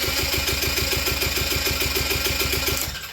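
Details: Quad ATV that ran well then quit, plenty of spark confirmed and fuel vapour at the plug hole, throttle wide open: even starter chatter about seven beats a second for three seconds, never firing; cranking no-start, cause still a mystery.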